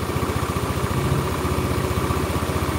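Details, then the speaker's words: Old Honda Beat with rough engine noise, smoke and oil consumption. Rapid pulsing with a faint deep "otok-otok" knock heard at very low rpm, attributed to connecting rod and bearing damage: knocking at idle. "nah ini teman-teman ada suara otok-otok suara otok-otok ini adalah suara stang ya"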